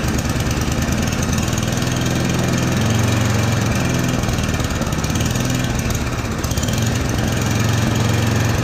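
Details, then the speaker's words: Yard Machines 8hp two-stage snowblower, unserviced for years, 45 psi compression, primed and choked; single chugs at idle with speed slowly rising and sagging every few seconds: hunting idle, carburetor idle circuit most likely clogged, carb to be cleaned. "okay so if you hear the rpms they're hunting that means that the carb is clogged the idle circuit most likely is clogged"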